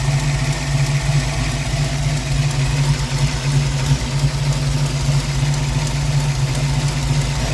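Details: Ford 302 V8 Mustang, warm, after valves were readjusted: deep, uneven loping idle stumbling about three times a second; dead cylinder (8 low on temperature gun), valves hanging open.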